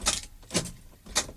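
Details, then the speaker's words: 1995 Toyota T100, four-cylinder 5-speed, over 200,000 miles: each key turn gives a single sharp click, lights on and fan running, no cranking; weak battery. "all I get is a click so that's the problem won't start"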